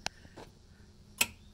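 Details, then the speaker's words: 1981 Comutacar electric vehicle: pressing the accelerator gives two or three sharp isolated clicks with no motor sound, in both forward and reverse; hot light is on; clicking source not yet identified. "you hear it click but it doesn't actually go and i've tried this in forward and reverse"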